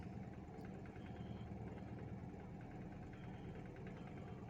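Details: Toyota EFI engine with a rough start and missing: a quiet idle with a faintly uneven, wandering beat. After the throttle body was cleaned and the learned values reset, the idle is still relearning.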